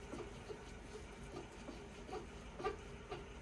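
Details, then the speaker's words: 2012 Mercedes W221 S-Class front lower rear control arm freed and rocked by hand: dry scraping creaks like an old door from the worn bush/joint, prompting replacement. "can even hear that that's the kind of screeching noise that when when he's got weight on it sounds like an old door right"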